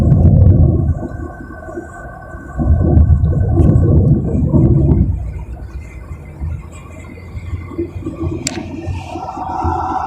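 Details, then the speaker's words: Toyota Voxy on the toll road at speed: road rumble with a faint hum and whistle that comes and goes; wind noise from air leaking into the cabin past a hood sitting too high. "perjalanan, Anda benar-benar bisa mendengar suara dengung, suara dengung yang muncul dan menghilang secara berkala."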